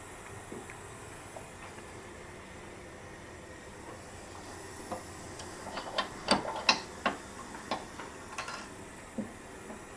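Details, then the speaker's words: Atlas lift that randomly caught on safety locks while lowering, one side at a time: lowering slowly past notches, light sharp lock clicks a couple times a second, no hard catch; locks passing freely. "So we'll go down slow past a couple of the lock not notches and then we'll go fast and see if it see if it catches anywhere."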